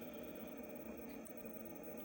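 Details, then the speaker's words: BMW 5 Series F10 electric steering rack motor humming after car is locked and parked, draining the battery; motor and rack already replaced without effect, wiring fault suspected. "вот сейчас я её закрыл она перестаёт опять же сейчас через какое-то время она опять начинает гудеть и высаживает аккумулятор"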